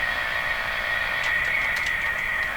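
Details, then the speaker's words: Steady high whistle over constant hiss with faint ticks on an RCA Victor Model 911KG radio; noise dropped off a lot when the antenna was disconnected, owner suspects interference originating in the house, not confirmed. "Is it coming from the antenna? It's not going to prove it. So, it dropped off a lot when the antenna dropped off. I think it's a noise located in my house here."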